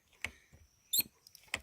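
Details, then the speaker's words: BMW R1200GS that would not start: clutch lever pulls give thin high squeaks with no switch click, unlike the brake lever; clutch switch not working, to be cleaned and realigned; cause not confirmed. "you can hear a squeak so I'm gonna get up under here and give it a bit of a clean-out"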